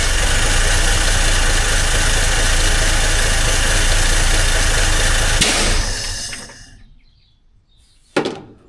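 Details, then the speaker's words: Six-cylinder truck, first start after sitting almost 15 years, on choke with a fuel leak: lumpy, uneven idle with a choppy low beat, then it shuts off. Not running on all six; timing suspected off, blow-by noted, idling very low. "May have timing off a little. It's definitely not running on all six."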